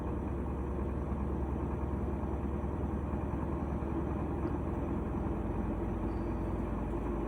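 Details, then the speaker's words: GE washer after cleaning oil-soaked drive belt, motor and pulley and replacing the lid switch: ramping up to high-speed spin, steady even low hum with no knocking, slipping or squealing; normal high-speed spin. "so we're ramping up here you can hear it so this unit actually had two issues we did replace the lid switch on it here we go high speed"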